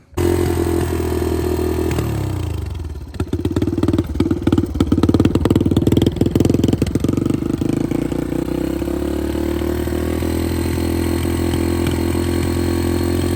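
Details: 2006 Yamaha TT-R230 bought non-running, fresh oil added: it cranks, catches after about two seconds, clatters unevenly, then settles into a steady but slightly lumpy idle; it now starts every time but is not yet good enough to ride; rough running after start.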